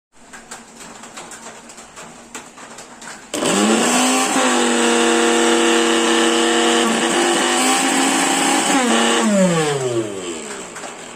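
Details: Mixer grinder with a sound problem, before bush replacement: motor spins up sharply into a loud, high whine with a rough buzzing edge, then winds down; abnormal running noise, worn bush suspected.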